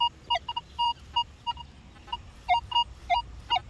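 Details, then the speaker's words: Metal detector in all-metal mode in a park with heavy EMI chatter: quick short mid-pitched beeps mixed with lower grunting iron tones as the coil sweeps, iron and a good target close together. "now this is an all metal well actually well yeah all metal hear that iron right there right there Iron but then right below it where'd it go right above it actually"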